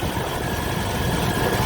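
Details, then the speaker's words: 1996 Chevy Tahoe 5.7 V8 that wouldn't start after three days of heavy rain; after drying and spraying WD-40 on the distributor cap it starts right up. Low, steady, even idle with no misses or knocks. "hey let's start it it started right up naughty - don't have to sit it's kind of made me feel better"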